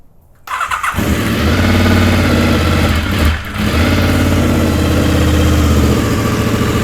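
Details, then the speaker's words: Honda VFR750 after correcting swapped coil wires: engine catches, runs unevenly on one or two cylinders, then kicks in and smooths out as the carburettors, not all full, fill with fuel; slow filling blamed on fuel cut relay. "I'm confused foreign with this it takes forever to get fuel up into carbs and they weren't all full"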